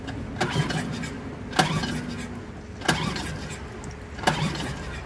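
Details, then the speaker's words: Suzuki DF2.5 2.5 HP outboard won't start: with gasoline sprayed into the air intake it catches in brief sharp bursts on each of three pulls then fades; starts only on sprayed fuel, so gasoline isn't reaching the carburetor (fuel starvation). "The test shows us that the problem is fuel, because it started when I put gas in it. Now we know that the gasoline does not reach the carburetor"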